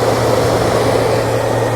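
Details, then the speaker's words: Zamdon MPPT 60A solar charge controller after repair of its auto fan (a tilted pin was found): steady, even fan whir with no rattle. Normal operation; the fan stops once the temperature drops to 49°C. "Pag bumaba pa yan, mag-i-stop na yung fan."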